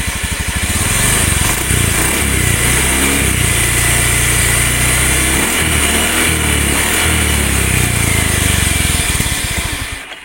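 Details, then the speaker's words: Honda Beat FI automatic scooter under gentle throttle: gritty, sandy whirring roar over the engine note; worn crankshaft bearing, stated as certain. "kemudian muncul suara kemrengseng di sini, itu pasti laker kerasnya yang bermasalah."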